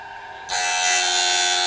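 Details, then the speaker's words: Norwood BladeMate Pro band-blade sharpener, tooth-face cut: grinding wheel spins up and settles into a steady, light, even hiss, just a little scritch on the face of the tooth; properly set light pass, normal tooth-face grind. "So two distinct sounds that you're listening for, two types of cuts. One is on the face of the tooth,"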